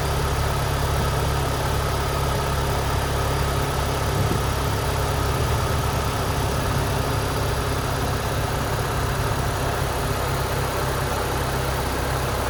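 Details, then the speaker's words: 2007 Saturn Sky cold start after sitting for over a week: a steady, even idle with a low, smooth hum and no knocks or misses. Normal cold start idle. "All right, it's a cold start. Saturn sky."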